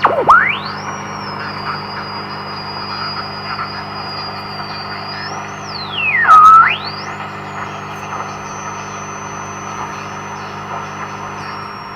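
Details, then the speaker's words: AWA 509M radio at about 200 volts, full volume: only faint hiss and a whistle sweeping with the dial, station barely audible; very weak output. Owner suspects it needs all its capacitors changed. "So that's on full volume, so we're not getting much out of this. So clearly that's not going to work."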